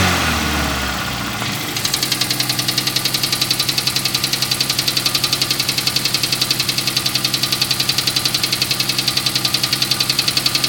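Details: Toyota 4A-GE engine: sharp, even ticking at roughly four per second rides over a steady idle; the source of the ticking is unclear.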